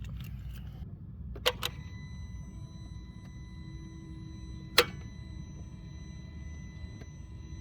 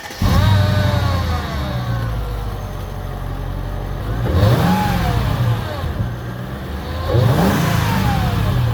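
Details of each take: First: Mercedes R230 SL55 AMG no-start, phone left near the starter on that side of the engine: key turned, sharp single click held about five seconds then released, no cranking; starter battery measured 12.4 V, so not a dead battery. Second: R230 Mercedes SL55 AMG starts instantly on first crank and settles to a firm idle, then two smooth revs; the earlier click-only no-start was a corroded aftermarket battery negative terminal clamp/ground, now cleaned, not the starter or battery.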